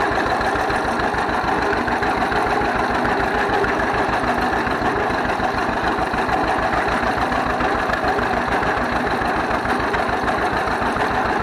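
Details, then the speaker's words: 1931 John Deere GP tractor running again after carburetor repair: slow, even two-cylinder putt-putt at steady idle with no misses, knocks or stumbles, smokes a little; healthy normal running. "oh it sounds good she runs good smokes a little bit but uh i'd smoke it if i was that old"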